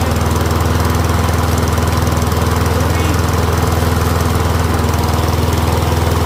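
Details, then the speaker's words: Troy-Bilt Briggs & Stratton rear-wheel-drive mower after ultrasonic carb clean, warmed up, checking self-propel with rear lifted; steady even quick single-cylinder beat, no misses or knocks; running healthy. "Seems to be running pretty good though. I'll check if the self-propel works."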